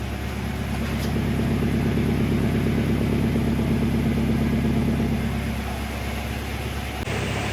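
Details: Mazda Miata 1.8-liter with a cylinder 1 misfire despite new plugs, coil packs, wires, checked cam sensor and vacuum, and refurbished injectors: idle lopes unevenly about three stumbles a second. Owner suspects injectors; misfire at idle.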